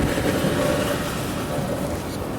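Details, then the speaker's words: Older Maytag dryer just after its broken belt was replaced with a new 100-inch belt: an even, soft tumbling rumble with no squeal, thump or slapping; the drum turns smoothly, heat comes out the back, and it runs fine. "and music to my ears you hear it running running nice and smooth the belt fixed that"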